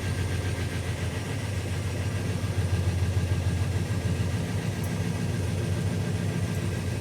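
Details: 1971 Chevelle SS LS5 454 big-block V8 on its first start after installing a warranty-replacement FiTech Go EFI 8 1200 hp fuel injection: a deep, slightly lumpy idle that stays steady with no knocks or stumbles. Healthy.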